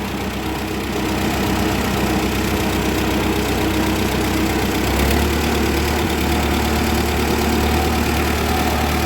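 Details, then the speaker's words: 1940 Ford 9N tractor, oil pressure steady at 55, driven in second gear: even, steady low drumming with no knocks or misses. The engine just purrs; healthy, smooth-running engine. "let's put her in third eh governor responds nicely got lots of power no smoke this thing's a sweetheart"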